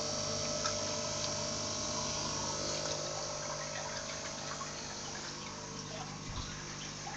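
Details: FX5 canister filter, owner suspects it is broken: steady pump hum with a fast, regular rattle of about four beats a second over water trickle; abnormal filter noise.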